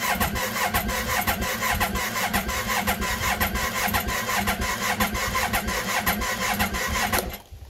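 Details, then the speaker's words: 2007 Yamaha Phazer snowmobile, about 45-50°F, weak battery: slow labored cranking at about 210 rpm, around two beats a second, never catches (roughly 300 rpm needed); slow-cranking no-start from weak battery. "batteries kind of weak i know how good the starter is in this one but it cranks pretty slow"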